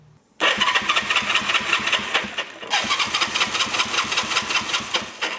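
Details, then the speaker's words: 1974 Honda CB360 motorcycle, just acquired: starter cranks briskly with even compression pulses but it never fires; no spark, with a switch that feels faulty (switching wiring suspected). "no spark and no surprise i got a little greedy guys got a little greedy"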